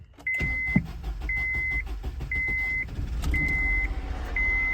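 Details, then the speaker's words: First-gen Honda Insight hybrid, started for the first time after years of sitting, once its battery was brought back: the engine catches and settles into a low, even rumble under a chime repeating about once a second. A clean, normal start, low on fuel. "Oh, it started. Need some gas."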